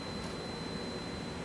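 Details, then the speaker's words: Unplugging one of two redundant hot-swappable power supplies on the signal processor (RSP) rear chassis unlights its LED and sets off a thin steady high-pitched squeal over cooling-fan rush, an alarm that a power supply has failed. "So I'm going to remove this bottom connection, which to see that the LED is now unlit, and you may be able to hear a high-pitched squealing. If not, you will hear it in the radar shelter, indicating that a power supply has failed."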